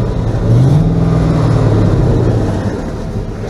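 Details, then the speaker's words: 1977 GMC Sierra K25 with a swapped-in 2002 5.3L V8 and SM465 4-speed: fires up and idles with a steady, even low rumble, no knocks, misses or surges; normal idle. "Okay. Runs really well. No issues with it at all."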